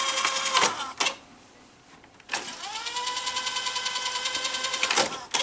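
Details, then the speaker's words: Sanyo 6800 Beta VCR being tested after its board was refitted: mechanism clunks, then a motor tone rising and levelling under a fast ticking rattle; suspected cure is removing the take-up and supply reels and oiling their posts. "Now there's a little bit of a noise, and probably what will cure that noise is taking the take-up and supply reels off and oiling those posts and then putting the reels back on, and that should eliminate the noise."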